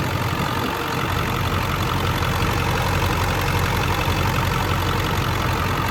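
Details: 2000 Ford Excursion 7.3L Powerstroke diesel, stock, 192k miles, freshly serviced, warm: even low diesel clatter at a steady idle, no misses or extra knocks over the rumble; healthy idle.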